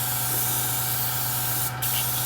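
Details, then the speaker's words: Airbrush after the leftover water was tipped out, sprayed until just air comes out: clean, steady hiss with a brief pause, no spitting or sputter. Normal air-only spray. "spray it again until we just get air out there we go"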